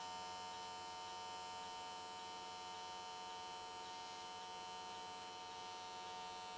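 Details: AC TIG welding an S13 catch can, likely aluminium, at 95 Hz square wave. Faint, steady fine buzz at an even pitch with no crackle or sputter. Normal, stable arc, judged a good frequency choice that carried the weld all the way around in one session.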